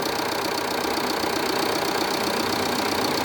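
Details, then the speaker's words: Jeep Renegade 2.0 MultiJet diesel after repair of engine noise, previously a deep growling drone: now a smooth, even, steady idle with light regular patter and no whine, rattle or knock. "dentro do carro aqui ó tá zerado tá olha aí você vê que tá um barulho bem suave"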